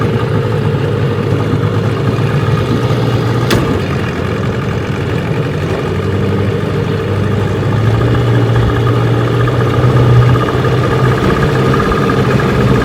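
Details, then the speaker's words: Restored 1985 Johnson 6 hp outboard (J6RCOB) on lake test run in the morning; steady two-stroke buzz with an even low beat holding pace, running smoothly on the water. "All right, we got her out here on the lake this morning. Give her a test run. Let's see how she does."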